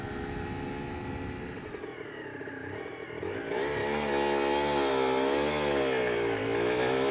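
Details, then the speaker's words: Aprilia RS125 1990s two-stroke (Harada replica project) on first road ride through town: revs swell and wander without a steady pull, meow-like clutch slip. "Yeah, I don't know whether you heard, there's definitely some clutch slip. That's annoying."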